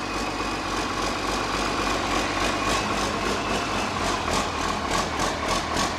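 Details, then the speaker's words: Reassembled 8.3 Cummins diesel, from a Ford F800, on stands for a Case IH 2366 combine: even steady clatter at idle, three to four firing pulses a second, firing on all cylinders. "make starts firing on all cylinders that sounds pretty good it's firing on all cylinders yep"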